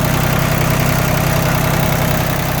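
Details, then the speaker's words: Yanmar F16D 4x4 diesel compact tractor, just started, all fluids changed with new antifreeze and oil filters: steady, even diesel idle with a smooth low thrum, no knocks or misses, no smoke; engine sounds healthy. "Go ahead and start it up here. No smoke. Engine sounds good."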